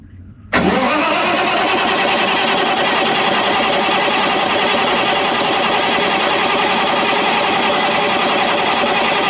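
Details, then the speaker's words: Caterpillar C15 700 hp diesel generator, about 30 minutes factory run time, 3 years old, injection disabled to build oil pressure: even strong cranking rhythm with no firing, steady throughout; healthy turnover. "I've got injection disabled. It's going to be cranking and I just want to see it building oil pressure. probably somewhere in the teens or 20s."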